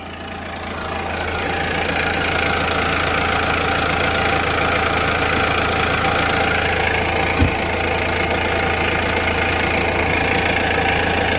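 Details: BMW 3 Series diesel at a major service, just restarted after fuel filter change and air bleeding, 5 litres of fresh oil: settles into a steady, even idle with light clatter, no hunting or misfire; healthy, being checked for leaks.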